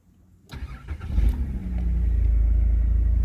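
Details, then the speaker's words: 1991 VP Commodore before ECU replacement: the engine starts and holds a steady high idle (previously too low) with the check engine light on, from a faulty ECU; the coolant temperature sensor was already replaced without effect. "So not only do we have a check engine light, our idle's too high as well. Which is a bit strange because before, the idle was way too low."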